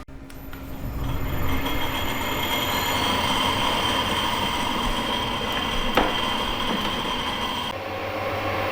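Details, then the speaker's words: Drilling a tapping hole for M12x1.75 thread in a 22 mm face mill adaptor: rising metallic squeal and ringing, a crack near six seconds; bit chattering through a suspected hard spot. "it was just that bit that's hard after that it's okay"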